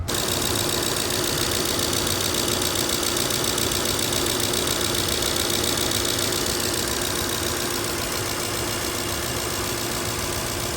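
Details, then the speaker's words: Toyota 2UZ-FE V8 (Land Cruiser/LX470) at cold idle, −6 °C, light quick ticking about twice per second over engine hum that fades when warm; loose spark plug suspected, attributed to injectors; normal injector ticking. "I think that's noise of the injectors"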